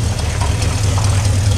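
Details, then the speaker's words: Carbureted V8 Bronco, already warm, restarted (carburetor possibly from a 351 or 302, jets possibly wrong): deep, fairly even burble at idle with steady low pulse, no misses; running well enough. "so but as you can hear it's idling now and running pretty awful"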